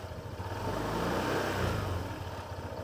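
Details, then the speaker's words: Honda PCX160 scooter just after an oil change at about 1,700: small single idles, revs smoothly and falls back evenly with no rattle or stumble, feels smoother. Normal running. "Parang pagka bagong change oil, parang smooth ng takbo eh, no?"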